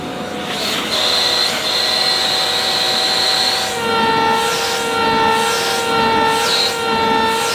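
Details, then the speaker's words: Shark CV100UKT bagless cylinder vacuum, base model: the motor roars with a loud, steady horn-like honk on top, shifting slightly in pitch. It mainly happens when airflow is restricted, a foghorn effect. "You don't hear it all the time. It wasn't so noticeable when I unboxed the first one, and it tends to mainly happen when there's a restriction to the airflow."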